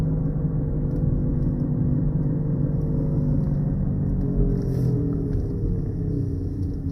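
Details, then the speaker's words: Honda Accord driving, heard in the cabin at around 40 mph: a steady low droning rumble that grows louder with speed and fades at a stop, caused by a bad front wheel bearing. "Hear how it gets louder and louder as you speed up, and then when you come to a complete stop, of course, the noise goes down."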